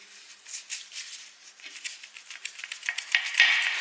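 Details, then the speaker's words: Mazda 3 sway bar link being worked by hand during control arm and link replacement: light, irregular metallic clicks and knocks, worn loose ball joint causing the noise; rubber parts fine, new link has no play. "this was my problem, this noise here."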